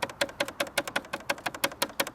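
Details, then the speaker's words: BMW S1000XR riding: rapid, sharp, dry ticking about six a second, like a loose panel buzzing with engine vibration; rattle on one side only, source unknown. "The next thing that really does annoy me about this bike is the rattles."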